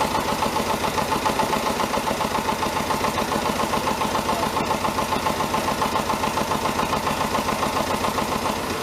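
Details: David Brown 1490 diesel tractor idling on its first run after an engine rebuild: a sharp, regular tapping about three to four times a second over the engine note. Owner suspects a fuel injection knock; injectors are being reconditioned.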